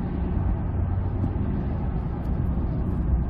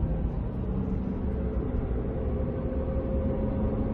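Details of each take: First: 2005 Ford F-150, 9.75 rear axle, about 116,000 miles, after differential bearing repair: smooth, even road rumble only, no whine or growl when accelerating or coasting, just knobby tire noise; normal rear axle. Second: 2005 Ford F-150 with 9.75 rear axle, about 116,000 miles, cruising from 20-30 mph: thin steady whine climbing with speed, lessens but stays when lifting off; failed rear differential pinion bearing.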